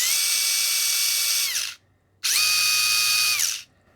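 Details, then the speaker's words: Furitek Micro Beast ESC on firmware 1.6 (limiter off, drive frequency 24,000 lowered): two short high-pitched motor revs. The motor spins faster in reverse than forward, as it also did before the firmware update. "case before I did the firmware update it definitely went faster in Reverse than forward"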